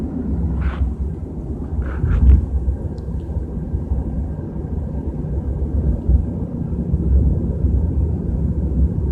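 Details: BMW 320i at 30–40 km/h: steady low drone under road noise; source unclear from listening alone.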